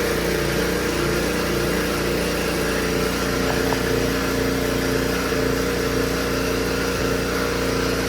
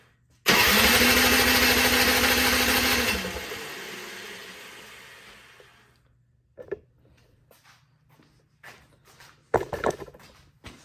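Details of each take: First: Honda HS520 single-stage snowblower, previously no-start and unserviced, after troubleshooting: steady even buzz from the small single-cylinder engine with no misses or surges; running smoothly. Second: Honda HS520 single-stage snowblower with no past maintenance, cranked with the choke out, fuel on, key on and oil full. A few seconds of loud cranking rush fade without catching, then only clicks; won't start, fuel not reaching the carb.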